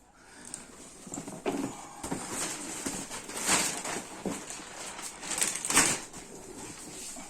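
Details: Romer Kidfix child car seat headrest moved in a quiet room: irregular creaking squeaks in bursts. Recorded before swapping in replacement headrest and side parts to see whether the squeak remains.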